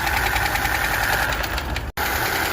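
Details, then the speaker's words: Honda Civic 2020 RS 1.5 turbo at idle: a steady, fast metallic ticking knock rides over the idle without letting up; abnormal noise from a damaged camshaft, worn on one side. "ये जो आवाज आती है ना इसमें ये केम की आवाज है इसकी इसमें ये प्रॉब्लम आई है कि इसकी केम डैमेज हो जाती है और वो इस साइड से डैमेज होती है"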